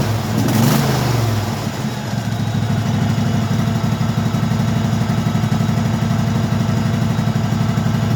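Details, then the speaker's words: Craftsman hydrostatic tractor V-twin, after carburetor cleaning: the starter cranks briefly, then it catches and settles into a steady, even, lumpy idle with no knocks or misses: normal idle. "I really do like the sound of these v-twins"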